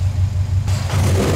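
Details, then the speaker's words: Turbocharged car, warmed up, GO FAST BITS Response dual port blow-off valve being tuned with Allen wrench after one full turn in, hard rev: revs drop toward idle with an airy hiss lingering as the valve stays open; needs another turn tighter. "I think I'm going to go in one more turn and see how it does. It still seems to be lingering open as it's returning to idle."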